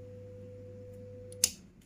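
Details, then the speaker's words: Polytron 2-door semi-inverter fridge, light on but not cooling: steady compressor hum, then a sharp click and hum stops; overload protector cutting power, compressor not turning, suspected jammed. "baik kerusakannya di sini teman-teman ya overload memutus arus ya overload memutus arus teman-teman ya"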